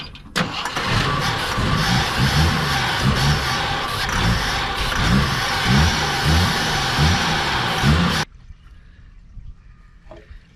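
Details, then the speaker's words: 42-year-old army Jeep, not started since 2009, with starter fluid in the carb and fuel being added. Steady starter churn about a hundred turns a minute never catches, then stops; owner suspects fuel starvation or stale gas. "right guys we're adding some fuel i think it might be empty because the carb is trying to pump fuel it's just not giving it to it so either that or the gas is too far gone"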